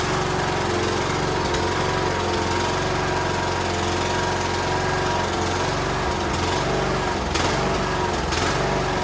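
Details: Cub Cadet LTX1040 lawn tractor single-cylinder engine started after carburetor removed to fix leaking gasket and fuel reached the filter: steady, even chug with no stumbling; runs normally.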